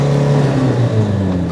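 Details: 1988 Toyota Hiace camper van on a cold day, driving: a steady low drone with a thin, sustained whine riding above the engine, source unclear. Whine while driving.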